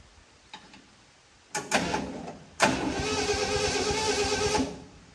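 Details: 1967 Ford F100 revived after sitting 28 years, started on a known-good battery borrowed from a daily driver: short crank, catches at once and settles into a smooth, steady run; battery and starting healthy, fuel and spark still to be checked.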